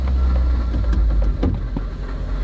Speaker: It's idling perfectly fine. Hear that rattling noise? The catalytic converter is rattling.